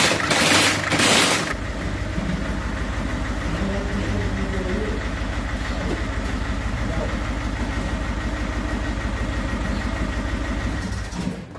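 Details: 1.6 HDi diesel after a start with a defective injector, idling with a lumpy, irregular clatter and uneven beat, running very badly and smoking; rough running fixed by replacing the defective injector.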